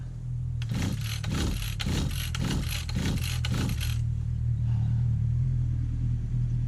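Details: 1991 Victa VS19 straight-shaft two-stroke strimmer with the carb just refitted, primed and in the start position: six quick rasping cord pulls, about two a second. It cranks but never fires.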